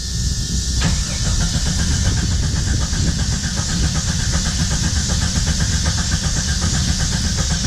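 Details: 1991 Jeep Cherokee Briarwood sat several years, factory alarm just disarmed by grounding pin: starter churns at quick even beat, engine never catches; fuel starvation, later fixed with new fuel tank, pump, filter and fresh gas.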